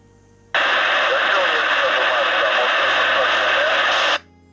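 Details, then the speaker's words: CB radio transceiver sent for repair without fault description, bench test at high volume: loud clean receiver hiss and signal, no growl or mains hum; reception normal, owner's fault possibly in the vehicle's power supply. "Ja nie mam się naprawdę do czego przyczepić odbiór jest normalny poprawny nawet przy dosyć mocno rozkręconej silę głosu"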